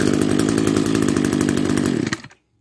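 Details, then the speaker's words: Old Echo SRM-210 trimmer revived with gas, new fuel lines and repaired kill switch wires; small two-stroke buzzes high and steady for two seconds then cuts off cleanly at the kill switch, runs healthy. "it works all right that just about leaves it for part one of this restoration video will it run and uh yeah it runs"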